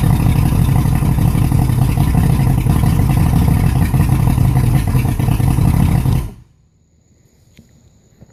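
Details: 250 HPDI outboard engine idling rough: loud, uneven, lumpy stumbling beat, then shut off after six seconds.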